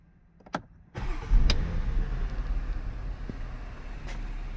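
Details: Porsche Cayenne whose dead lithium battery was revived, charged and its controller reprogrammed, no longer needing a jump start; a short starter whirr, then the engine catches at once and settles into a quiet, even idle, starting cleanly.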